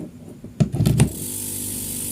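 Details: Refrigerator compressor after overload protector replacement (1/5 PK overload fitted): a few soft clunks as it kicks on, then a smooth low hum; compressor starts and runs normally.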